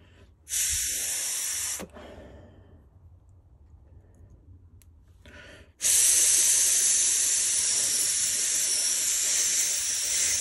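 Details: Commercial steam whistle valve from Trojan, a 5-inch-gauge live steam loco, blow-tested on the bench: two bursts of sharp hiss with no whistle note; steam leaking past the seat, probably because the pin holds the valve off it.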